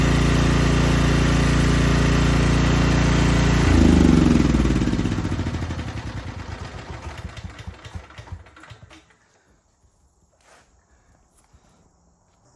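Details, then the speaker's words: Small generator after pull rope replacement, unrun 6 months, restarted to check choke need; steady even note with no misses or knocks, then winds down smoothly to silence; healthy running. "okay y'all that is crazy I've never had anything fire up on the first pull something wrong with that thing it's going to blow up or something"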